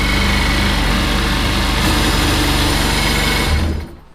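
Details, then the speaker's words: 2003 Sea-Doo RX DI, neglected for years, after fitting a replacement pump to cure a weird noise: two-stroke runs at a crisp, even fast idle with no rattle or scrape, then shuts down cleanly; noise gone, running perfectly. "that is a perfect running machine that's unreal i uh didn't expect that"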